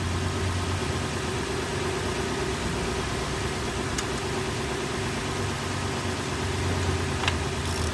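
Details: Lexus 430 V8 after replacing the bad starter motor (no-crank) with a used one: smooth, steady low rumble with even beat, no knocks or misses; idling cleanly and healthy.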